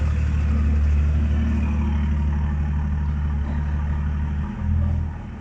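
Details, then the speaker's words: Range Rover P38 after gearbox filter, gasket, O-rings and oil change for no-power fault: deep steady drone pulling strongly reversing up a curb, then easing; transmission drives cleanly with good power. "well i will tell you that straight off the bat that's got way more power just off the reverse"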